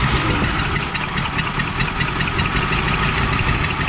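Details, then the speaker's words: 1984 Ford Thunderbird 5.0 V8, sitting for years, running on fuel poured into the intake from a bottle; rough, uneven running only while throttle held, then a backfire; not running on its own fuel supply. "that old motor run y'all that i mean you got to be hitting the foot feed some it's not letting it go in there go let's let that old motor run"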